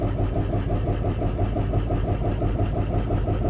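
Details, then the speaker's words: Diesel burnout truck during an injector cut-out test at idle. Cylinder 4 or 5 is suspected dead, and dropping injector 4 doesn't change the uneven idle beat, indicating that cylinder is already not firing. "Drop 4. Didn't really change anything."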